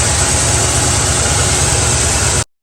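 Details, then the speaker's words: Mustang V8 at idle: slight uneven tremble and jumpy beat as one cylinder drops out; driver-side spark plug wire arcing to the header, grounding out the spark and causing misfire and erratic idle. "if you guys look you can see that faint spark well it's actually arcing pretty bad I'll get closer in a second it's arcing on that header and what it's doing is each time it hits that cylinder it's trying to shut it off it's trying to ground it out hence the misfire or the erratic idle"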